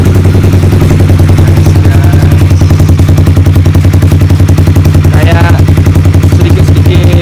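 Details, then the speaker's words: Honda CBR idling on an H2U silencer: deep, choppy, raspy beat with a spitty edge on every pulse; the exhaust leaks from underneath, air felt escaping there, though it is not too noisy and still usable. "Karena ini keuntungan angin keluar dari sini kan. Kalau kalian bisa rasain nih, anginnya keluar dari sini guys, karena ini knalpot bocor dari sini aja sih, dari bawahnya aja."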